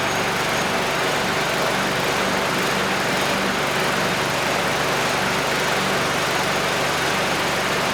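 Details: Curbside Craftsman mower 917.376655, Briggs Quantum 122T02 engine, after lowering the lift so fuel reaches the carb. Fast, even small-engine buzz holding a steady speed without stumbling or surging. Runs normally.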